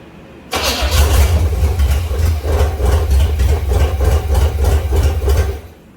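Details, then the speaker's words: Buick Electra 225 with a 455 V8, first start after a rebuild with new timing cover, oil pump, distributor and fuel pump: rough, uneven low thumping for about five seconds, then it stalls, with the idle set too low and unsteady fuel delivery. "Hey, we had it running. All right, I need to crank this idle way up because it's obviously not idling anywhere near heat where it needs to."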